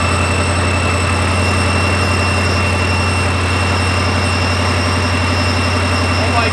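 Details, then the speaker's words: Ford 5.0 Mustang newly supercharged, first start after flashing the tune and before warm-up (coolant had been spilled into the intake runners): a deep, steady V8 idle with a faint high supercharger whine, even and stable; a healthy idle. "Dude, the sound is nuts! Oh my god! Holy shit! Alright, it's running good so far."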